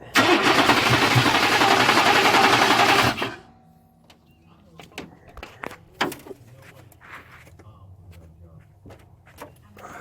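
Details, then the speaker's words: 1993 or 1994 Chevrolet Silverado Z71 with swapped-in 350 crate engine and 4L80E, cranked to see if engine is good: rough, labored cranking with harsh clatter, kicking back against starter, then quits; owner suspects poor timing after distributor reinstall. "poor timing thing is just keep kicking back something is definitely making a lot of racket"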